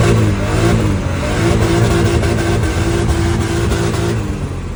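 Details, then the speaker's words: BMW E46 with a new turbo fitted and exhaust leaks fixed: strong, even pull with a rising engine note and clean steady tone under load, no puffing or ticking; normal turbo acceleration after repair. "New turbo is on. Exhaust, everything is secure. No more exhaust leaks. It feels like a whole different car, to be honest with you."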